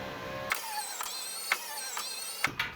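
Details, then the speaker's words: 2012 Subaru Forester passenger front power window, tested after regulator replacement (no blown fuse): a clean, steady motor whir with soft clicks at start and stop, no grinding. The window runs up and down and tracks properly. "run it up and down a couple of times make sure it tracks properly"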